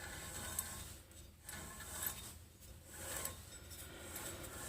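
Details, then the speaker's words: 2004 Toyota 4Runner with constant front growl around 35–40 mph; driver-side front hub, wheel off and spun by hand, turns stiff with dry gritty rasp and occasional metallic crunch despite no looseness, worn wheel bearing. "if I spin this it spins a lot harder I think you can hear that and once in a while you can hear some kind of a crunching"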